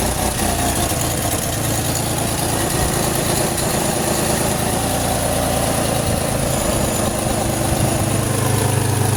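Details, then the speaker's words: 2006 Pontiac Grand Prix supercharged V6, used swap engine at first start: rough idle with puffing tick from a crossover exhaust leak and occasional uneven beat from a slight misfire, one knockoff spark plug not yet replaced. "I didn't get to change that one spark plug. It's still kind of missing a little, but it's running a hell of a lot better than what it was with all those other 5 junk ass spark plugs."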